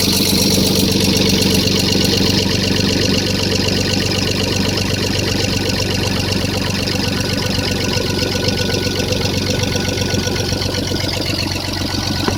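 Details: Toyota 1FZ-FE inline-six at idle with a fast, fairly even light ticking of about four per second, a valve clatter consistent with noisy valve clearance.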